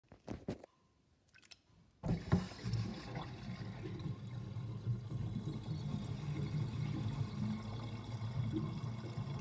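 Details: Kitchen sink drain with overflow covered: after a few clanks, water drains with a low uneven bubbling gurgle as it empties; drain gurgling.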